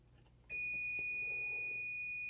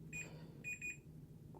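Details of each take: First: Dalrc Engine BL32 4-in-1 3-5S ESC top connector pinout check: after quiet, the multimeter gives one unbroken high continuity tone when probing S4, confirming the pin is correct. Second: Multimeter continuity beeps, three short high-pitched beeps over a faint hum, while probing pins on a Dalrc Engine BL32 4-in-1 3-5S ESC with ripped pads to map the top connector pinout.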